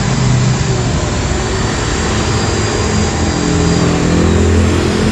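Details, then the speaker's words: Modern SIM-100B angle grinder running after bearing replacement: steady even hum, no rough snoring bearing growl; heavy brush sparking on one side, possibly carbon brush not seated close. "this is the result of replacing the bering, yes, the sound is really good, and there's no eh or not there's a snoring sound like that"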